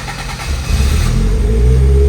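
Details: Toyota AE86 on its first start with a new Link Monsoon ECU and base map, plus NST pulleys and tensioner, gauge reading 36 °C: a brief crank, then a healthy start into a strong, steady idle with no misses.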